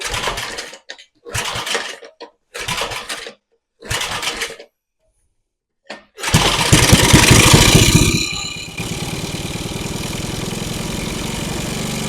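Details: Small single-cylinder engine salvaged from a junk go-kart, on its old carburetor: several pull-starts, then it fires, revs up and settles to a steady, even beat. Sounds good at idle, though it struggles once the gas is pushed; normal idle running.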